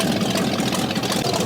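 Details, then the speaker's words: Scrapyard Jeep Cherokee with 360 V8, started on poured fuel after sitting: short burst of steady, throaty V8 idle with no knocking or valve-train clatter, suggesting oil pressure; sounds healthy. "it's got to have oil pressure though because it's not knocking right I mean if it didn't have oil pressure you'd hear the valve train just quack quack and it sounds good it sounds cool you know"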